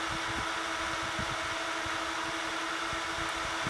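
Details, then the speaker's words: 92 mm twin-fan PCI fan tray, high-flow unit, lifted off the table: steady airy rush with faint slow wavering pulse, a wow from slight fan speed mismatch that usually settles once installed; normal running. "So you hear a little bit of noise. There's a little bit of wow that you get from the slight difference in fan speed."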